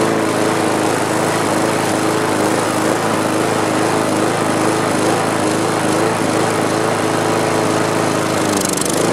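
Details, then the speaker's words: Mower engine after straightening a bent governor spring tab to raise rpm: rough, uneven buzz wavering in speed, still erratic surging; spark plug gap found flat, to be re-gapped. "so the rpms are back up but i'm going to lower it a little bit but it still sounds pretty erratic doesn't it"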